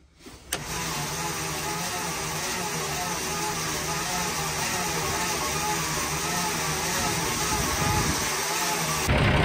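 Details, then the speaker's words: Centurion Mk3 gun-testbed tank engine, unstarted for many years, magneto and distributor cap refitted: steady uneven churning on the starter about nine seconds, roughly three turns a second, never catching; suspected stuck valves not sealing. "I've given up trying to start it on the starter I don't think the valves are clasping closed"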